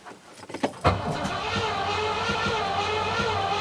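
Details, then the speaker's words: Rover 4.6 litre V8, first start attempt, starting fluid sprayed and jump pack fitted: starter spins fast and even at about three beats a second with no cough or catch; cranks but won't fire, plugs still dry, inlet manifold suspected. "That should be doing something. It should, at the very least, cough a tiny bit. I don't get it."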